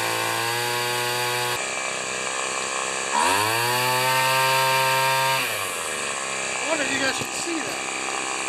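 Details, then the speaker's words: Two-stroke weed eater with a fuel-dripping cap, previously set super rich, during carburetor mixture-screw adjustment: revs to a buzzing high note, then sags and stalls when the screw goes too far either way; finally set between rich and lean. "okay and i may need adjusting after this right because i had it turned out super rich"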